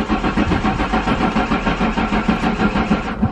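Steady rhythmic cranking around three beats a second that never catches and then stops; engine turns over but won't fire.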